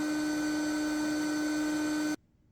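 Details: Ryobi RYI1000 1800 W power station supplying about 1,600 W to a microwave, battery near 62%: loud steady fan whir with a constant tone that then cuts off sharply; cooling fan working hard under heavy load.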